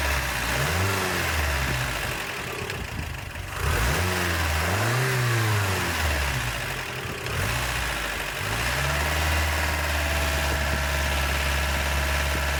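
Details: 1988 Toyota Pickup 22R carbureted engine revved after timing chain, water pump and oil pump replacement, having sat overnight; coolant and oil good, no leaks. Steady idle, then clean blips rising and falling smoothly back to an even idle, no knocks or rattles: normal revving.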